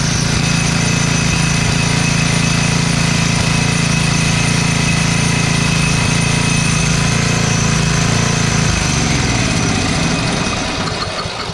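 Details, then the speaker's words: Tecumseh engine on a 5,250-watt Devilbiss Powerback generator, no-start after likely years of sitting, fires and runs rough on ether, pulsing unevenly before fading; fuel leaking directly out of the carburetor, likely gummed up. "Oh, wow, I didn't know that thing was leaking that bad. It's leaking directly out of the carburetor."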